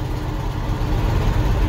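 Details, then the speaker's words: 1982 Chevy K30 Squarebody V8 started cold with a suspect choke: deep, even rumble with no knocks or ticks; steady, healthy idle. "Oh, she started. There she is. She's happy."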